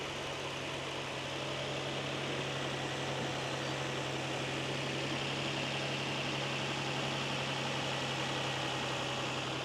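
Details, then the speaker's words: Nissan 350Z with stock VQ engine, cold start after jump-start: starts right up, even smooth idle with low steady hum, no ticks, knocks or misses; running normally. "Cold start, if it'll start. We might have to give it a second. She starts right up. She's running like a charm."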